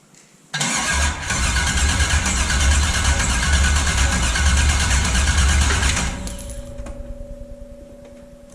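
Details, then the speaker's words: LS-swapped BMW E36 before first start, spark plug wires removed, cranking to build fuel and oil pressure: steady, even fast starter cranking for about five seconds with no firing. Normal cranking without ignition. "I'm going to go ahead and crank it to build fuel pressure and oil pressure so this is going to be first attempt I took out these spark plug wires so not going to actually"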